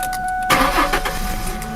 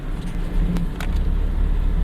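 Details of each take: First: 2001 Ford Mustang 3.8 V6 with a sputtering misfire and a new EGR valve, wires and plugs: a brief crank, then it catches at once and settles into a smooth idle. Normal engine start. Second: 2001 Ford Mustang 3.8 in fourth gear at 1200 rpm and full throttle, with new EGR valve, wires and plugs but the old coil pack and fine at idle: a heavy, uneven, lumpy rumble with shaking, a bad misfire under load.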